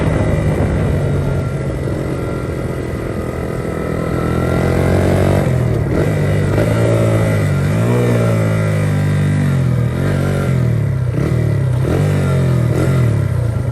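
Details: 1982 Honda XR80 fitted with an XR100 engine, restored after a leaking tank and a tank sealer that nearly ruined the engine. It starts right up and revs rise and fall cleanly through several blips with no knock or misfire. Normal running, "runs like a top".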